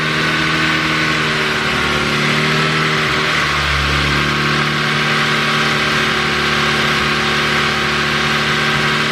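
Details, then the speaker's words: Ford Focus ST with a newly built engine (Speed Performance pop-n-drop kit), on startup during its first runs. Steady running with a brief mid-clip sag in pitch, stumbling then recovering; bogging, cause unclear. "started bogging on me what started bogging"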